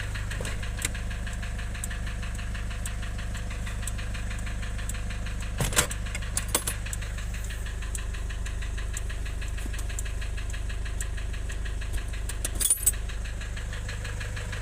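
Steady diesel idle with a hard, regular knock of roughly three per second riding on it; a deep internal knock, cause unknown.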